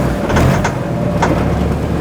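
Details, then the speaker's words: 5th-gen Honda Civic EG hatch with swapped-in 6th-gen D-series transmission: steady idle with soft clunk as reverse engages, no grinding or crunching; reverse engages cleanly after swap. "works. Forward. Look at that. No grinding whatsoever."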